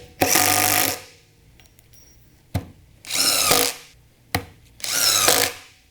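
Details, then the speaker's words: RIDGID SubCompact drill/driver on a half-charged battery driving 1-5/8 inch drywall screws: three strong, even bursts with a crisp whir as each screw seats; plenty of power. "seems plenty powerful for inch and 5 8 drywall screws"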